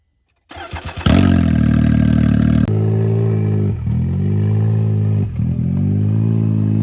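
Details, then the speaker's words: Can-Am Maverick X3 Turbo RR after ground-up rebuild following an accident, first test drive: deep, raw, very loud roar rising and dropping with each throttle blip, because the exhaust had not been put back on. "She's not thrilled because I didn't put the exhaust on before we went for a little test drive, and she said it was too loud."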